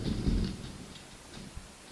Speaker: Okay, so it's likely you're going to hear the clicking, which is basically a radiator clicking, so I can't really do anything about it except if turn it off.